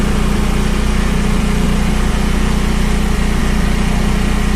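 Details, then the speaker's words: Generac 8kW standby generator, first start, converted to propane, run on manual with no load as on exercise: steady even low drone, unchanging pitch, no knocks or surging, smooth idle. "sounds pretty good. That's what it'll sound like on exercise. That's not a load."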